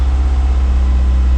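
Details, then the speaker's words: 2002 Lancer OZ Rally, cold test start after valve cover gasket replacement, check engine light on: smooth, steady low idle hum with even pulse and no knocks or rattles after slightly high cold idle settles; purring, healthy. "She'll come back down. Yeah, you can hear this thing purring."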